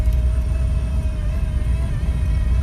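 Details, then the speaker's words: Lada Priora engine whose gear-driven water pump failed while driving, with a completely destroyed impeller and the car suddenly losing pulling power: steady, fairly high whine over a rough engine rumble; failed water pump. "я не знаю как так получилось я ехал у меня резко машина тянуть перестала звук такой ужасный стала"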